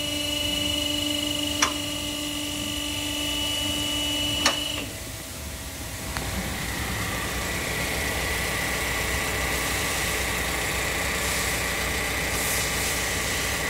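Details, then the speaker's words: Toyota Sienta idling after water pump assembly replacement, its rough bearing having caused the harsh noise; steady even engine-bay hum with no grinding or knocking; idle smooth and normal again. "Muara mesin kembali normal ya menjadi halus lagi jadi penyebabnya adalah dari water pump nya ya"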